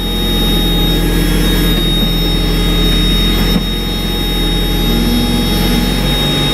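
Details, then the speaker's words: 1994 Mazda Miata after winter storage: steady idle that stays too high and never settles, with no misses; owner suspects a sticking idle air control valve needing cleaning, and unplugging the power steering idle boost valve did not lower it. "So I might have to make some adjustments, or perhaps take the idle air control valve out and clean it, because it's definitely, it shouldn't be idling this high right now."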